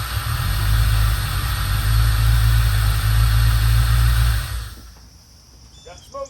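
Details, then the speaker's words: 1988 Corvette, fuel-injected, first start in its project build with smog accessories refitted and a new battery: deep, even V8 rumble at about four pulses a second, then a clean shutdown. After long storage it starts and runs; driving is not yet tested. "it's pretty wet out here so I don't want to stay out here working but she runs now we got to find out if she drives"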